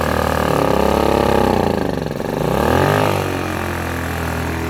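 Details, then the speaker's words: Blackridge 800 W inverter generator, about 2014, long stored, running on old dirty fuel under changing load; steady even hum briefly dipping and swelling in pitch then settling, nothing wrong. "appears to be nothing wrong with it it's running on some shitty fuel"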